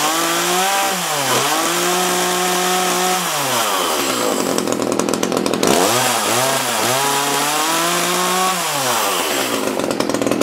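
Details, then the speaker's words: Echo CS-330T top-handle chainsaw that had not run in years, test run after a carb inspection: revs up and drops back with a cleaner rasp but stumbles on the way up; old gas suspected; rough running. "sounds better it's got a clearer throat but it might be old gas"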